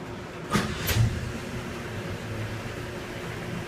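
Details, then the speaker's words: 1961 Chevy truck V8 at warm idle with no throttle, heater on, after new thermostat and valve cover seal; quiet, even low burble with no stumble or tick, not overheating, running great; normal idle. "it's running outstandingly amazing and that's good"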